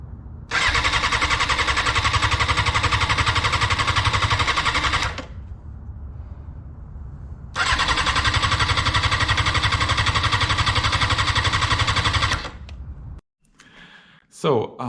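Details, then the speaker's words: Wrecked 2004 Honda CBR600 F4i being rebuilt, cold January: two strong, even cranking bursts of about five seconds each with no firing, fuel pump not heard; engine turns well but gets no fuel, pump or its power supply suspected. "tried to start the bike but i failed with it and by symptoms i understand that it turns great but there is no fuel inside engine so and i don't hear the fuel pump when i start the bike"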